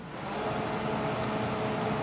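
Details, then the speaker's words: GE Panasonic inverter microwave running normally after repair: fans on, turntable turning, magnetron running with a steady even hum and faint tone, no arcing. It had shut off after 3 seconds because the door switch connector wasn't fully seated; reseating it fixed it and the water heated. "The fans turn on, the turntable turns, the magnetron's running."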